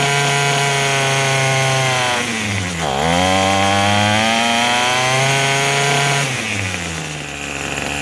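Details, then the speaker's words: Craftsman 27cc string trimmer, made January 2013 and obtained free: it revs up crisply, drops to a steady idle around three seconds, then picks up cleanly again; normal running and idle, sounds pretty good, though it is smoking. "Let's give it a try. sounds pretty good. Yeah."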